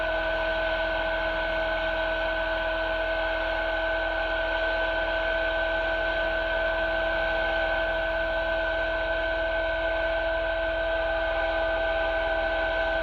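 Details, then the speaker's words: Lathe cutting a replacement clock pinion: steady high ringing tones over smooth motor hum as an extremely sharp tool bit touches down on the ends of the pinion teeth in a light facing cut; the bit sings, cutting the ends clean. "hear the tool bit touching down on the ends of the teeth. Hear the sing."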